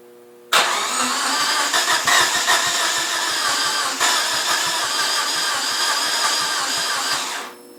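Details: 1G DSM: starter churns steadily at about three beats a second for seven seconds, but the engine never fires or catches; crank, no start.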